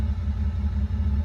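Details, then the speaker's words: Nissan Skyline R31 bought from the wreckers: a deep, uneven idle rumble that pulses and sags; the engine is barely running, cause unknown. "i don't know if you guys can hear it but it's it's barely running i feel bad for this car but it'll take time for it because i did get it from the wreckers and whatnot"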